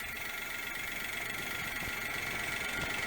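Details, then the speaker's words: Daewoo Matiz after fitting a new idle control valve, following idle trouble: quiet, even idle with a steady beat, no stumbles or hunting; normal idle, cause of earlier problem unknown. "i was worried there for a minute but uh that sounds all right so i think i'll take her home tonight just make sure she is definitely running all right"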